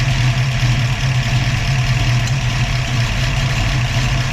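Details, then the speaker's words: Ford 302 V8 with Autolite 4100/2100 carburetor, A/C on, vacuum disconnected: idle drops and runs low, loping and erratic. "You can hear the idle drop, motor gets erratic. That's unplugged. AC on. Idle's dropping."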